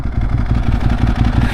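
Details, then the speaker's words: Ducati 1098S V-twin while riding: dry, rapid clatter over the lumpy exhaust pulses, the normal dry clutch rattle. "Whoa, cool. I don't know if you guys can hear that drag clutch."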